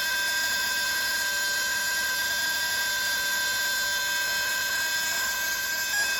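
Steady high-pitched whistle with several sharp tones holding level once the tank is at full pressure, something bleeding or resonating in the brake air system.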